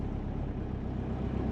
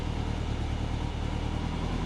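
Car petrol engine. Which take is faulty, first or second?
first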